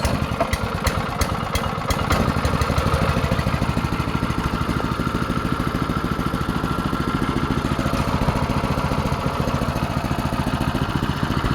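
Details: Go-kart with newly fitted engine, started on choke with throttle: sharp clicks at start, then small single thumps at a fast, steady beat; even, normal idle.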